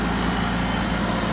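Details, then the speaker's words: 4-cylinder tractor at full governed throttle, about 1,800 rpm: steady, even high-speed drone held flat by the governor, no misses or knocks; healthy reference for how the flathead-six Ford 8N should sound. "so that's full throttle and that's what our little six-cylinder buddy over here is supposed to sound like"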